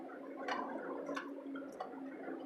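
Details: 2014 Hyundai car driving through deep flood water, up to about four feet: quiet engine under irregular bubbling, gurgling pops like a motorboat as the submerged tailpipe blows through water. No stalling, no damage.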